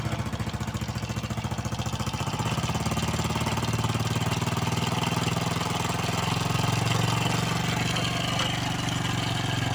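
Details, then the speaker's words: Honda Biz 110 motorcycle engine at idle: a fast, loose metallic rattle rides over the beat and grows as revs pick up. The cam chain is visibly slack on its sprocket. Cam chain rattle. "isso aqui já é algum Indío que a corrente está folgada e está pode estar ocasionando aí o barulho aí desse motor aí certo"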